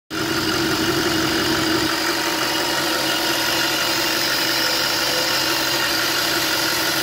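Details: Audi RS4 4.2L FSI V8, warm start, idling evenly under a steady high whistle; the right-side crankcase breather valve is badly leaking and the emission light may be on.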